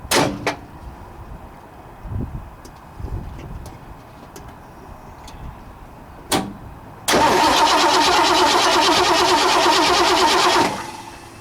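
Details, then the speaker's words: 1960 Ford F100 with transplanted 351 Windsor, not run in decades: after jumping starter directly, starter spins engine at even whirring pace about four seconds without binding; turns over freely, not seized. "Motor's churning over good. Put you down in here and see if we can watch that. So it's not froze up."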